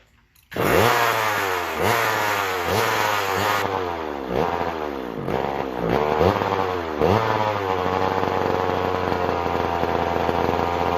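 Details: McCulloch Power Mac 6 Auto chainsaw, sat about 30 years, needs crank seals; after plug wire fix it revs up and falls back in repeated surges, won't hold a clean tune, then settles to a buzzing run.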